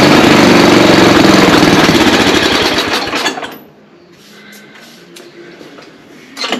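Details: Ariens ST824 snow blower, 8 hp engine, hard starting; started at idle once fuel reached the carburetor: catches and runs with a fast, fairly even putter, then cuts out; it runs but carburetor needs inspecting.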